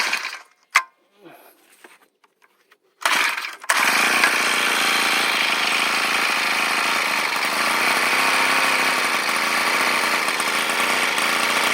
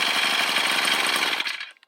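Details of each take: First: Old two-stroke brush cutter that stalled and ran unstable RPM when throttled, blamed on a hardened fuel-cap vent: after the cap's inner cover is removed, it holds a loud, even high-revving buzz under throttle. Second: Brush cutter revving hard then suddenly fading and dying, a recurring intermittent stall; replacing the carburettor didn't help; cause was a blocked vent hole in the fuel tank cap starving the engine of fuel.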